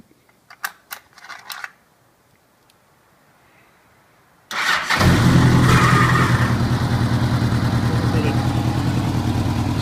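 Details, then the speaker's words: 1985 Honda Gold Wing GL1200 Aspencade after sitting 7 years, freshly rebuilt carbs, idle adjusted: starts and settles into smooth, even, steady flat-four idle; normal idle. "but a little bit of adjustment on the idle and the bike is running pretty well so I'm gonna fire it up and that way you can get to listen to it a little bit"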